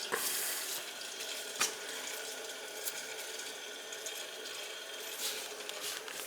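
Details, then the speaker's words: Gas boiler heating zone (radiators, baseboard) purged for suspected air after owner complained of water running sound; strong steady water flow with no bubbling or gurgling, zone purging clean. "definitely getting a good flow and i don't hear any bubble and i won't hear any bubbling action going on"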